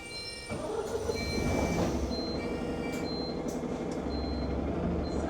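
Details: Enviro 200 MMC 10.9m diesel bus, route 364: steady high-pitched warning beeps about four per second, nonstop over the engine drone and cabin chatter; cause of the beeping unknown.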